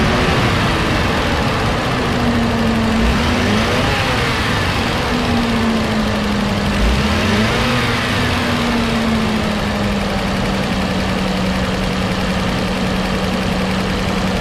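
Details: 2015 Nissan Caravan E26 with loss of power, back-pressure test: loud rough idle with raspy exhaust roar from open sensor port, pitch changing on throttle snaps; restricted exhaust from clogged catalytic converter.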